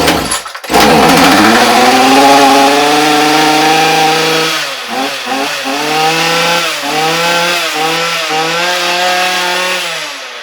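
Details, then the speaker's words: Ryobi RY252/RY253 2-cycle gas string trimmer after carburetor and fuel line replacement: starts and settles into a strong, clean buzz, blipping evenly with the throttle; the carburetor was the fault. "Running like a champ. So as expected, carburetor was the issue, simple replacement."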